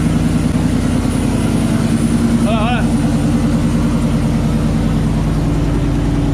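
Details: 2018 GMC Sierra 6.2L V8 cold start after Kooks long-tube header and off-road Y-pipe install, exhaust cutout open (louder than through muffler), no air filter fitted: loud, deep, even burble holding steady idle, regular firing, no ticks or knocks; normal.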